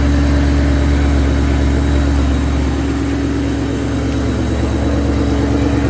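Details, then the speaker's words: Mustang (Shelby GT500 tags) on first startup with Fore Innovations fuel system, about 8.5 compression, on 85 fuel: deep, loping idle putter about three pulses a second, slightly uneven; owner attributes it to the low compression, not a misfire. "You look here like how like putters like even my car does that. What What is that? >> Well, in my case anyways, it's cuz it has such low compression being 8 and a half"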